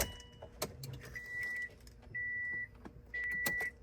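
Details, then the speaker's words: 2006 Subaru WRX with 173,000 miles, key on after fuel filter, strainer and pump gasket replacement: three short, even hums at one steady pitch as the fuel pump primes normally. "I hear it priming. That's good."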